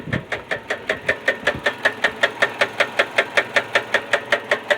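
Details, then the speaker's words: Hyundai Elantra with 190,000 miles idling: sharp, very even knock about 158 a minute; suspected rod knock, not confirmed. "okay disappointing knock in the engine of a hyundai elantra check this out guys see if you think it's a knock in the engine"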